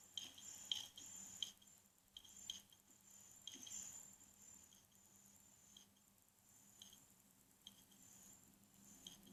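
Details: Loud, faint irregular clicking and ticking roughly every second from the hard drive side of an Acer Aspire S3-392G laptop, a second replacement unit; store staff deemed the noise acceptable. Hard drive clicking during seeks, cause unknown.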